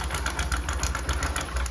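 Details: Discover 100 (BS3) single before repair, noise at start-up: fast, light metallic sewing-machine clatter over a rough idle from a worn, stretched timing chain; tightening the tensioner did not fully cure it, so the chain was replaced.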